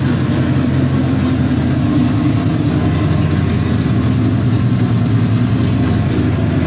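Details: LQ4 V8 with LSR cam and FAST 102mm intake, warm: a steady, fast idle with a busy, even burble and no dips, sitting slightly high.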